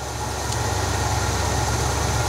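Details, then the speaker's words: 1971 Cadillac Deville 472 V8 idling after Quadrajet carburetor restoration; slight uneven wobble in the idle persists, owner suspects something internal to the engine rather than the carburetor; rough idle. "the shaky Idol I think it's going to be something internal to the engine to be honest with you"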